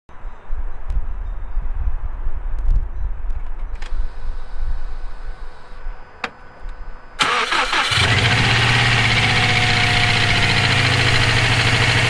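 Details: EJ257 engine knocking at idle for about 17k miles since purchase; after a quick crank it settles to a steady rhythmic internal knock. Owner suspects rod knock, spun bearing or valve lash needing adjustment; source unknown.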